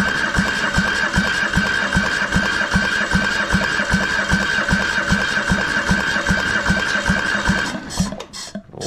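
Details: Military surplus diesel transplanted into a RAMX hydraulic trench compactor, replacement starter, no exhaust fitted: steady cranking with compression thumps about two and a half per second after fuel reached past the pump; cranks but won't fire.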